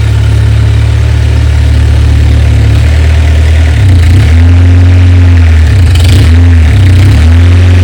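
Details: An old-model Mahindra diesel pickup, unstarted for what seems over two years, was cold-started with extra diesel added. It catches and settles into an even, low chug with a few throttle blips, no knocks or misses; the engine runs healthy.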